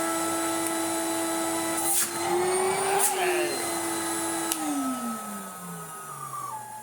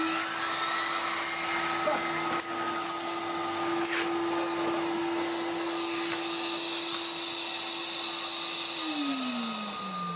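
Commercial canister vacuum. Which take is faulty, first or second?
second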